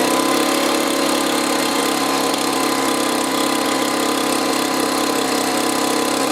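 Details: Two-stroke leaf blower stored over winter, after replacing year-old brown bad fuel with fresh mixed fuel: sharp buzzy high thin note with slight rasp, running a little better but still lean.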